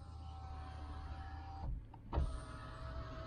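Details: 2006 Vauxhall Corsa, engine idling: a short, smooth electric window motor whir rises and stops cleanly with no grinding or straining; power window works normally.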